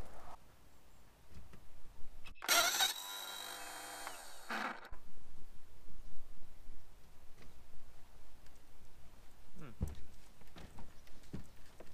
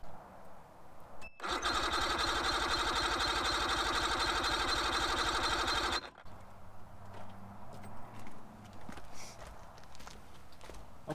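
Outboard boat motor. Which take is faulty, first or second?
first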